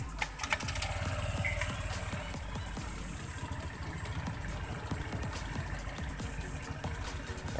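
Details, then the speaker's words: Honda Vario 125/150 scooter after fixing a rough noise when the rear wheel is spun by replacing the rear pulley bearing: rear wheel spins with an even engine hum and no rough grinding; normal CVT running. "suaranya udah lebih halus ya gaes"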